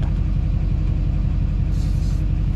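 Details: 2007 GMC Sierra LBZ Duramax diesel after a turbo replacement; deep, steady diesel idle with an even low rumble and no knocking, whistling or hunting, sounding healthy.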